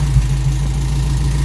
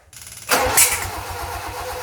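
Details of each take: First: Toyota Corolla KE55 4K-C warmed up after first start, thermostat opening and cycling coolant through the radiator, cap holding with no leaks, missing vacuum lines refitted. Steady low, even idle with no misses, knocks or ticks. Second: Toyota Corolla KE55 with 4K-C engine, cranking after rotating the distributor: steady starter churn with three sharp pops in about five seconds. It backfires instead of starting because ignition timing is 180 degrees out.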